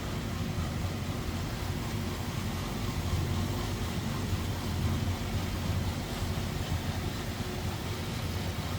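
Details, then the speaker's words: 1935 Pierce-Arrow Model 845 385-cubic-inch eight, idling with the hood side panels open: a low, soft, even rumble with no knocks, ticks or misses; an unusually quiet, healthy idle. "isn't that crazy how quiet that is and again 385 cubic in"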